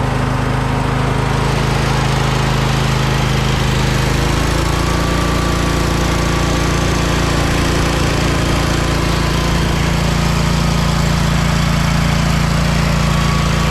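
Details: John Deere lawn tractor after the muffler's holes and seams were flux-core welded: loud, steady small-engine drone that drops to a lower even pitch after a few seconds, no puffing or ticking; runs normally.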